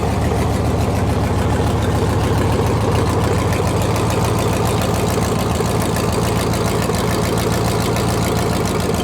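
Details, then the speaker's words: Gen V L86 6.2L V8 on an engine stand, with a new wiring harness, fuel system and cold air intake fitted; deep, even, smooth idle with no ticks, knocks or misses and good oil pressure. Normal idle. "all right she started up and uh she ran pretty good so everything sounds pretty smooth we have good oil pressure so i'm happy"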